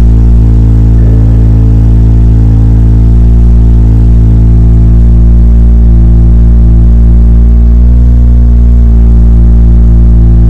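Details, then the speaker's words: BMW F10 535i N55 after replacing the low-pressure fuel pump with a higher-flow stage 2 pump (fitted to fix random stalling): engine catches and settles into a smooth, even idle with a steady low drone; fuel is reaching the engine, normal running. "The fact that the car didn't burn me means clearly the pump is working, fuel is arriving at the engine."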